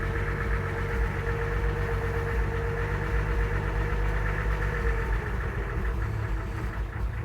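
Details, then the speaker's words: 1966 Ford F100 idling during a clean-up and evaluation: irregular knocking, about four uneven taps a second, over a deep rumble; engine knock of unknown origin. "You hear that knocking? So, I'm not exactly sure what it is, but oh boy."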